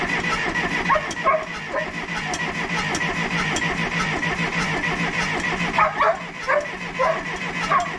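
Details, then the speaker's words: Case 188D diesel tractor on its first start attempt after a complete engine rebuild: the starter cranks in uneven bursts with good oil pressure, but the engine never catches; air in the injector lines suspected. "thank you well we've got good oil pressure but as you can hear it's not really firing I think I better crack the injector lines and bleed them"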